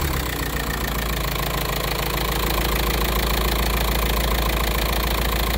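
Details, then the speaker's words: 2006 VW Jetta TDI, BRM diesel, automatic, after serpentine belt and tensioner replacement: steady diesel clatter at even idle, no belt squeal, chirp or slapping, new tensioner holding still. "all right our next step go ahead fire this thing up and sure that her tensioner isn't fluttering around all over the place and that is relatively still and not jumping around like the old tensioner was"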